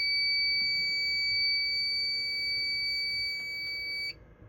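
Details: Fire alarm panel during a system test, after a reset: a steady, piercing high-pitched tone holds about four seconds, then cuts out. The reason for the alarm is unclear.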